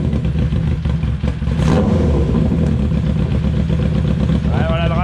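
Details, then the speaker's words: Renault 4L with FZR motorcycle engine, carburettors roughly adjusted and balanced, throttle cable possibly sticking; low uneven idle with loping, wandering rhythm that never settles. Owner says idle still not great; carb idle setting suspected, not confirmed. "voilà, le ralenti est pas encore foufou."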